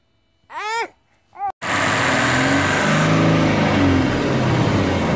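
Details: Freightliner FLD120 with 397k miles, parked since 2003, first start attempt after 17 years. After cheering, the big diesel catches and runs on its own with a coarse, steady clatter; ether may have been used, and the cause of the roughness is unclear.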